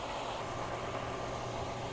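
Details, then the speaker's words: Hayward pool heater running after the pump was turned back on and the flow alarm cleared, set to 85 degrees: a steady, even low hum and airy rush with no surges. The heater is firing and running normally. "Okay, now it's running, and it's going to maintain that 85-degree temperature until it is satisfied, just like your home thermostat."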